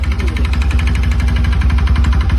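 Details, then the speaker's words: Bajaj NS200 BS3 motorcycle engine, revved: heavy, fast, evenly spaced deep knocking, a violent mechanical clatter that worsens with throttle, no white smoke. "सुना दोस्तों आपने sound कितना गंदा sound आ रहा है और white smoke भी नहीं कर रही गाड़ी"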